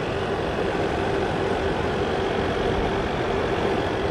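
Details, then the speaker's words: EVGA RTX 3090 FTW3 Ultra hybrid kit failing after about one month, mic held close to the pump: a constant rough buzz with fixed mid-pitched hum, clicking and gritty grinding; failing AIO pump, being replaced under warranty. "a pretty persistent buzzing clicking grinding sound going on"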